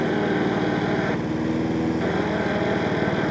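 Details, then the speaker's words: Hayter 48 Pro (479B) self-propelled mower with an intermittent, slipping drive, engine at full throttle: a rough grinding chatter comes in when the machine is held back against the drive. The belts are spinning, so the gearbox teeth are believed worn. "And that noise you can hear, I believe to be actually the gearbox. And that's all the teeth in the gearbox saying, I quit, I quit, I quit, I give up, I give up, I give up, I give up"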